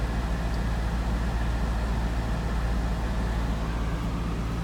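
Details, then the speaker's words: 2003 Volvo XC90 at 173,165 miles, idling after being driven in for scrap; deep, uneven loping idle with the steering wheel vibrating, a light engine misfire of unknown cause. "it sounds like it sounds like he's got a misfire the steering wheels vibrate this sounds like he's got a miss"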